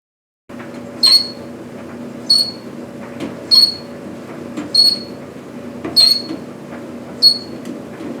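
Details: Older White Westinghouse electric dryer made by General Electric: sharp high squeak repeating about every 1.25 seconds over steady drum hum, from worn front drum glide and rear drum bearing, both being replaced.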